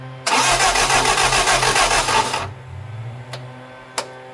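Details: Lotus Europa Twin Cam with Stromberg carbs and 123 ignition distributor, first start attempts while turning distributor during cranking; valve clearances, timing and carbs blowing fuel back suspected: fast uneven cranking catches and roars two seconds then dies; rough start, failing to run.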